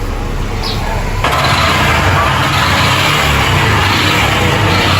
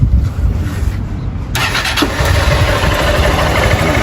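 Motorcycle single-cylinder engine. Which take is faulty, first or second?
first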